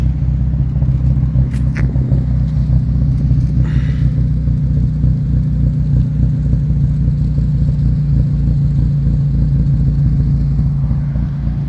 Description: The AT check light flashes and my idle is rough